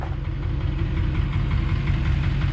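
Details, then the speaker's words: Duramax diesel: steady low rumble with even clatter and smooth unchanging idle, nothing irregular; normal healthy diesel idle. "I just like the sound man they sound good"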